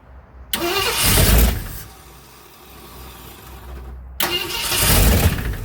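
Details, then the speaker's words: 1965 Ford Thunderbird V8 after rebuild, ignition timing being set, runs briefly on a little throttle with a loose metallic rattle and clank over the rumble; owner hopes it is just an exhaust leak, source unconfirmed. "I can hear that rattle clank tilt. That ain't good. I want it to be just an exhaust leak."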